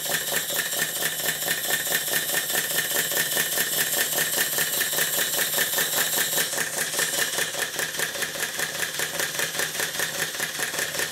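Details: Southworth duplex boiler feed pump before service, glands blowing, water cylinders lubricated with oil instead of water: quick clattering strokes about two and a half per second with a slightly irregular beat; valve timing possibly off.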